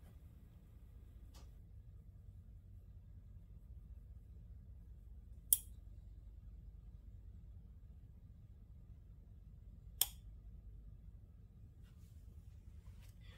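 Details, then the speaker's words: Mini refrigerator with compressor and PTC starter relay: near silence broken by sharp clicks about every four seconds from the overload protector, no compressor hum; overload cycling because the compressor draws too much current, bad compressor. "all right what you just heard was um one one sound of a click and then another sound of a click click and that's coming from this area and it does it over and over and over"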